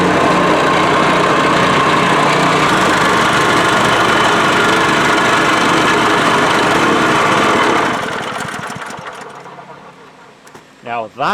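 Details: Honda GX200 single-cylinder engine salvaged from a water pump, newly swapped onto a plate compactor after sitting five years, refueled and primed: runs at steady, even speed with a clean beat, then winds down smoothly; healthy running, started reliably.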